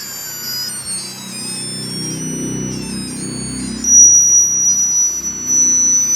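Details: Chuwi Corebook laptop/tablet on Windows 10: loud, piercing beeping tones wail and shift in pitch from the speakers at random over a faint hum, while the machine otherwise works normally. The cause is unknown.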